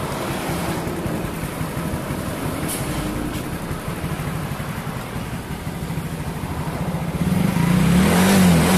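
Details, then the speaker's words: Soul GT bored up to 150cc with a Sonic piston, BRT racing camshaft, new valve seals, and valves adjusted; a steady, even idle climbs cleanly into a rev with no knocks or ticks, so it is running normally. "Oke teman-teman semua semuanya sudah terpasang dan kita juga sudah setel klep sekarang kita hidupkan mesinnya"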